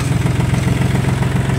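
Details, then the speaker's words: Kubota L1-22 mini tractor with front loader and tiller, diesel started with clutch depressed, starts quickly and easily; even, steady, fairly quiet low thump with no knocks or misses. Normal idle. "очень быстро и легко и просто работает ровно довольно таким тихо"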